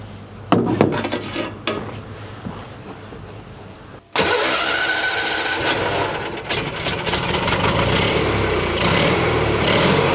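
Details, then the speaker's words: 1986 or 87 Argo Magnum after a fuel system cleanup: a few sputtering catches, then the small two-stroke settles into a steady, low idle on its own. The idle is probably set low so the clutch doesn't engage. "I think we can safely say that that was running under its own Steam and uh yeah that idle is pretty low but uh I think there's a reason for that"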